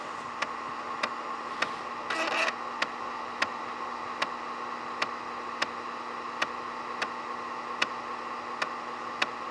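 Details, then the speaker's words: IBM ThinkPad 760LD floppy drive, swapped in for the CD-ROM, copying files from drive A to C in Norton Commander: sharp regular head-step ticks about every 0.6 s over faint hiss; floppy drive working normally. "now we'll copy those over to drive c you get to listen to the floppy drive for a bit"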